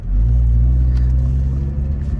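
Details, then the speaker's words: 2003 Honda CR-V with new eBay engine/transmission mounts reinforced with 3M window weld, next morning, accelerating from a complete stop: steady rising engine drone, no clunk, no front-end movement felt; smooth. "You guys hear that? That was very smooth. I mean, except for the engine revving, but that was very smooth. I didn't feel any movement in the front, so this is actually very nice."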